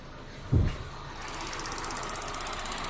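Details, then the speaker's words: 2014 Chevy Sonic after new cooling fan and blown fan fuse replaced, AC on, fan running, door shut: fast, even light tick over a quiet idle, still present with AC off; owner guesses injectors, unconfirmed. "Next thing is, I guess, find out what this ticking noise is. Sounds like injectors. That's my guess."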